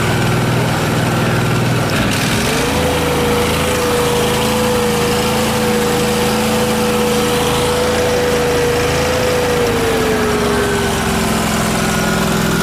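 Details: Miller Trailblazer welder engine after fitting the vacuum-operated fuel pump: steady low idle, climbs smoothly to high idle and drops back cleanly; mixture screw changes had no effect, pump was the fault.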